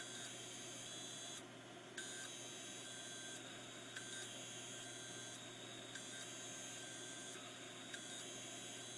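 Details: Hard drive with stuck heads: short electronic beeps about every two seconds over a steady low hum, with noisy bearings too.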